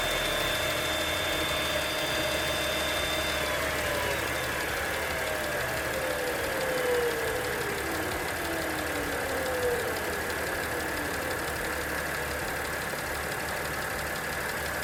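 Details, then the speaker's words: Audi 3.0T supercharged V6, first start after valve cleaning, valve cover gasket and supercharger reinstall with coolant refill: thin tone glides downward for several seconds over smooth idle; owner believes it is the purge system. "that must have been the purge A system that noise"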